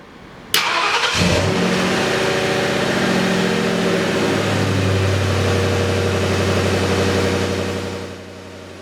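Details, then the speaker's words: 1967 Ford F100 with 4.6 DOHC V8, after new serpentine belt and new tensioner and idler pulley bearings to cure squeak; fires, flares, settles to smooth idle with no squeal or chirp; belt drive quiet. "Sounds good. I'm happy with that."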